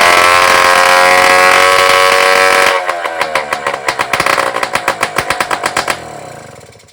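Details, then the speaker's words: Rebuilt two-stroke moped engine on test bench before fitting to frame, original fuel tank: crisp rev to a high buzz, then even steady popping about four beats a second; picks up cleanly, normal running. "Écoutez, je pense que c'est un succès évident, il tourne bien, il prend bien ses tours."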